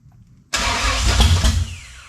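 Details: 1967 Camaro on its first start with a newly installed 454 big-block, carburetor primed but the fuel pump apparently not working: it catches with a sudden loud burst, runs rough for about a second, then fades away. Fuel starvation is suspected.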